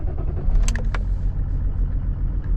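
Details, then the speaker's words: BMW with 230,514 miles, first start after a 3-hour drive: deep, even rumble that catches and settles, described as sounding like a diesel or a train, with no misses or knocks. "Sounds like a bloody train. [Applause] sounds like a diesel."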